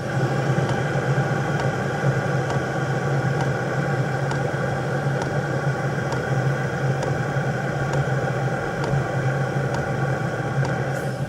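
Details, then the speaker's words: VEVOR 2kW vertical diesel heater in a van, recorded outdoors with the lavalier close to the pump: sparse, evenly spaced ticks about once a second over combustion hum and fan rush. After starting at maximum, the pump slows during the calming phase; normal, healthy operation. "He entered the calming process, to bring the lavalier closer so that you can hear the chattering, how rare it becomes and almost insignificant."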